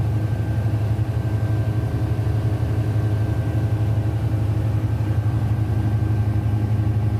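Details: Denyo DCA610SPM generator running after no-start repair, magnetic pickup and wiring tested good: deep, steady low rumble with even beat, no surging, misses or knocking; running smoothly.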